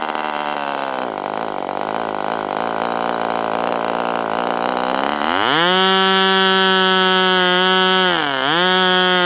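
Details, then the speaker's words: Northfield Ross Black Demon 61 model engine on its first run, on a test stand at about 71°F, after the low-speed needle was leaned slightly. Loud, raspy, coarse buzz that climbs sharply when throttled up; likened to a 1970s engine. "Let's just lean that low speed just a hair. See what happens now. >> It's loud. Sounds like an engine from the 70s."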